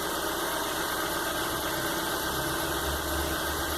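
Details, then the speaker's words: Warm engine, idle control relearn just completed successfully via scanner: steady, even hum with no misses, knocks or hunting; idles smoothly. "e finalizada aí com sucesso Então tá ajustado aí controle de marcha lenta"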